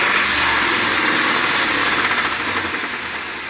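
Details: 2020 Ford F250 Tremor 7.3L V8 after dealer oil pump replacement (SSM51330), idling the night before it seized: a hard, regular deep knock about four per second; bottom end suspected.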